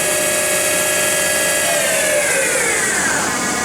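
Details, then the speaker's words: Doosan PUMA 2600 CNC lathe spindle run: smooth high whine stepping down in pitch as speed changes, no grinding or knocking; spindle runs cleanly and healthy. "It works. Spindle runs."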